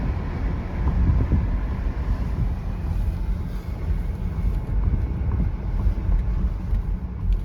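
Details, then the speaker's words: 2016 Mercedes GL450 slowing on test drive after front brake replacement with Bendix Premium Copper-Free CFC1629 pads: steady low road rumble, no squeal, scrape or grinding; brakes quiet and working beautifully. "Yeah, the car brakes beautifully. Very good. Drives so nice."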